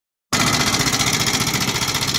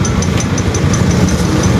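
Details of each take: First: Honda NS150 motorcycle: busy metallic ticking and clatter over fast single-cylinder idle; checking head, timing chain tension and rocker arm, pointing to worn rocker arm and camshaft from oil starvation. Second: Honda NS150 after repair (regrind, original bearings, cylinder head and rocker arm checked): even settled idle with light regular valve ticking about five a second; earlier loud noise gone, running healthy.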